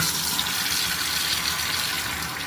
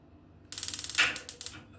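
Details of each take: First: Universal digital gas water heater with gas and power present but not working: only water rushing from the open tap, no ignition ticking; the igniter does not fire. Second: Gas tankless water heater that would not light, tested with gas shut off: a quick, even run of sharp clicks, roughly ten a second for about a second; the igniter sparks normally.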